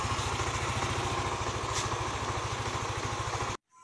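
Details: Yamaha NMAX 155 (old model) after code 61 repair: steady, even single-cylinder putter about three and a half beats a second, no hunting or stalling — idles normally.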